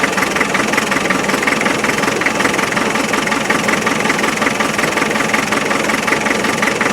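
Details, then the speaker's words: 1991 Land Rover 90, ex-military, 2.5 naturally aspirated diesel: uneven, lumpy idle beating two to three times a second with a harsh knock, as if one cylinder isn't working. Number three cylinder and weak injectors suspected, not confirmed. "it has to be it has to be something to do with number three cylinder off because name what you are different watch again"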